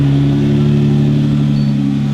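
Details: 2015 Jeep Wrangler JK after installing a plug-and-play remote start, started by remote to check the install: smooth, even idle with a steady low hum and no misses or knocks; runs normally.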